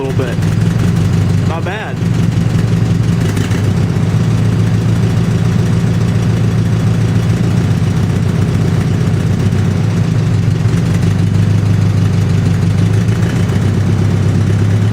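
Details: 1950 Farmall H petrol tractor at idle after setting the magneto and cleaning the carburetor, oil pressure good: deep, steady, even idle with no misses or knocks; runs healthy.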